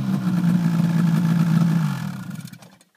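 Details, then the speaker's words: Ski-Doo REV 800 two-stroke snowmobile, clutching set up for 700: held flat out with steady clean high drone, no misses, pegging 8100 rpm where it should; healthy. "sounds good sound good yeah she's uh pegging at 8100 just like I mean bang on where it should be clutch wise right on"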